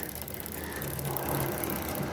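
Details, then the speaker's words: Motorcycle being ridden: a dry, gritty rattle with no clear beat rides over the running bike; dry chain noise that stopped after oiling the chain with old engine oil. "Bike चलाने पर अगर चैन आवाज करें इस तरीके की पहले हम चला के दिखाते हैं देख सकते हैं इस तरीके की आवाज आए तो क्या करना"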